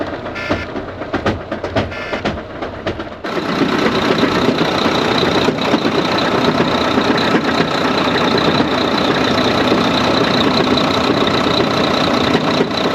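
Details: Engine of a 2014 Volvo VNL semi truck, hotwired, settles into a steady run with a rough, uneven beating underneath; owner suspects something coming apart in the automatic transmission, while the engine itself sounds good.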